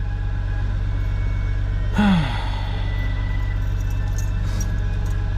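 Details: Jeep Wrangler/Gladiator EcoDiesel started after replacing the main battery and deleting the failed aux battery. Deep, even diesel idle holds steady with only a brief chirp, no misses or knocks; charging, engine sounds healthy.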